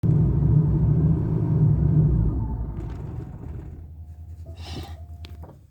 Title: Camaro IROC Z Rough Idle When Warm